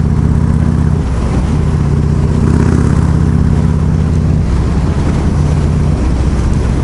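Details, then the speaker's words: Harley with a Hammer Performance 1275 kit, Impact 560 cams, stock CV40 carb, Impact air cleaner and Cobra El Diablo 2-1 exhaust on its first ride in snow: loud, even V-twin exhaust at steady throttle with wind roar, no knocks; healthy and quieter than before. "This is awesome. She sounds good. It's a little quieter too, which I like. It was so freaking loud before."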